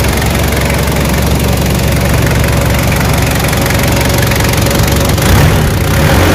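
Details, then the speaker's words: Toyota 1KZ diesel at startup idle after the viscous fan hub was refilled with silicone oil and coolant topped up: steady diesel clatter with a strong constant whoosh of air, the fan hub now locked up and pulling hard; normal. "all right ready for startup blowing like crazy now guys"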